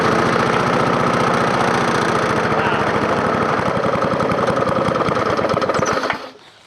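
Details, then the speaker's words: Scrapyard push mower with its carburetor reinstalled and the ignition coil wire temporarily taped: the single-cylinder engine runs with a steady, even beat at constant speed, then cuts off cleanly; it sounds healthy. "believe it runs"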